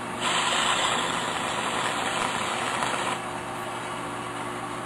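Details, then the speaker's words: Water Ace water pump in a crawlspace: a steady hum with an airy hiss that fades after three seconds. The pump is sucking air through a leaking, poorly soldered, burned sweat joint on the suction line. "Sucking air. Hear it? I could try to resolder it, but I have to get it too hot. It's cold. Water's going in there. Suction line. Shouldn't have any air leaks."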